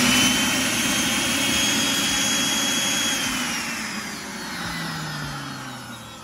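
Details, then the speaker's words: DeWalt D55146 air compressor, 1.6 hp motor: smooth high vacuum-cleaner whir with no pump thumping, then winds down; motor spins but pump not driven, owner suspects broken drive belt. "And it just sounds like a vacuum cleaner. It's not actually engaging the compressor itself. So that's why I think it is the actual belt."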